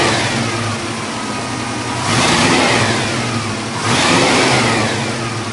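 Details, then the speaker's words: 1974 International Scout II, 304 V8, 727 Torqueflite automatic, dual exhaust, cast manifolds: steady even idle with two clean throttle blips rising and settling smoothly; normal V8 start and revving, healthy. "We're going to go underneath the hood. We'll fire that 304 motor up, let you hear exactly what that sounds like next."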